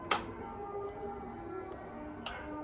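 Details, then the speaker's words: O General inverter AC PCB after repairing a 2-blink error, powered on in demo mode: two sharp clicks about two seconds apart; outdoor relay now pulling in, which it failed to do before repair. "On பண்ணிவிட்டு பாருங்கள், இப்போ outdoor relay catch ஆச்சு. இது முன்னாடி வரையும் catch ஆகலை ஓகேங்களா."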